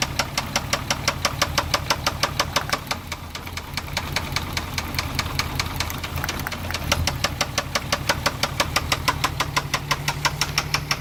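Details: MK4 VW Jetta VR6 idling with a sharp metallic knock repeating several times a second, a deep bottom-end knock; owner suspects a spun bearing. Unconfirmed.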